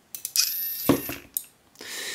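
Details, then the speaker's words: Hobby Iron Man helmet faceplate, PICAXE-controlled servo switched by a relay. A sharp relay click, a brief whirring servo move, then another click as power drops out; the switching works as intended. "so it turns on for a second while the servo is moving and turns off again afterwards so you should hear a click the servo move and another click when it turns"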